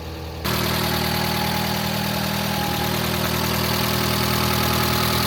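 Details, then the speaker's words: Barn-find Alfa Romeo GTV Spider, standing for many years, first start after the immobilizer is plugged in: it catches and idles with a busy, even top-end ticking; the hydraulic lifters are short of oil and should quieten as oil circulates. "Not too bad. It'll quieten down once the oil circulated around those hydraulic lifters."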